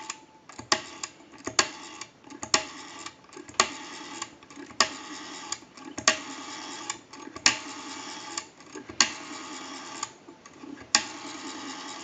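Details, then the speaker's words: TP6A military rotary desk telephone rotary dial after cleaning, oiling and adjustment: crisp, evenly spaced tick bursts, each ending in a clean snap, about a dozen pulls. Smooth return; normal rotary dial operation. "we cleaned oiled and adjusted our rotary we have a nice smooth return on that rotary"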